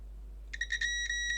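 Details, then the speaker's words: Logic3 TX101 soundbar with no power, board component checked with multimeter continuity: steady high beep in short bursts in both directions across the part, showing it is shorted; continuity beep indicating short. "because it will beep anyway so if it's beeping guess what's happening it's short"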